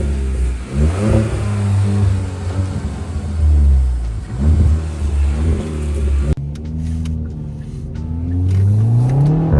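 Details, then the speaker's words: Kia Forte GT (Cerato/K3) in sport mode with the artificial engine-sound speaker under the engine bay disabled; modded with RaceChip S, BPV delete, MBRP axle-back, aFe Stage 2 intake. Deep exhaust note swells and falls smoothly with throttle blips, no synthetic tone; normal revving. "all right guys as you can hear we are in sport mode and zero artificial sound that is straight up coming from the beautiful beautiful exhaust"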